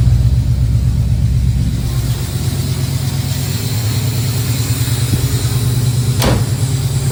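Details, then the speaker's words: 1969 Pontiac Firebird V8 with Holley Sniper EFI after replacing a failed injector that had caused stumbling; steady, even low idle burble with no stumble or misfire, all four injectors working. "tell's no stumble so got all for injectors are injecting"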